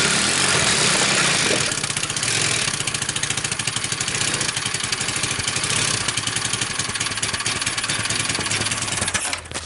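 A small single ticks over at a quick, steady, even beat with no knocks or misses; the engine idles cleanly.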